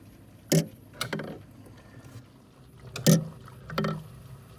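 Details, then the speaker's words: Samsung refrigerator freezer, heard at the rear by the freezer, stops when the door opens: sharp irregular knocks about a second apart as the fan tries to start against ice buildup (assumed). "is a close-up of what's causing that sound actually looks like the fans trying to start but it can't for whatever reason and again assuming it's that ice buildup"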